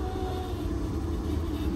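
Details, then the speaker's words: 800 hp classic car on a 2,200-mile road trip, over 2,000 highway miles on a large race fuel pump as a daily driver: a loud, steady drone and hum at key-on with the engine off; the failing pump is expected to seize. "that's not good this is maturity maturity knowing that if we keep going this car is going to [ __ ] the bed that fuel pump is going to seize"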